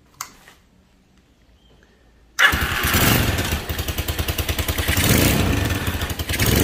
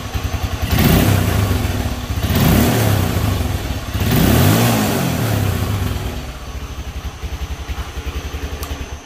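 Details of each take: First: IGM Street 160cc Chinese motorcycle revving: harsh buzzing rattle like a phone vibrating on a wooden table, pulsing as revs climb; caused by loose engine mount bolts. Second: IGM Street 160cc motorcycle after fixing loose engine mount bolts: three clean throttle blips with no rattle or knocking, engine sounding healthy.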